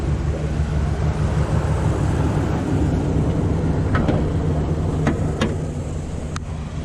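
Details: Truck with newly replaced engine, about 225 miles, after computer relearn following StabiliTrak light: even low rumble at steady speed, no knocks, ticks or misses over faint outdoor noise; engine runs healthy.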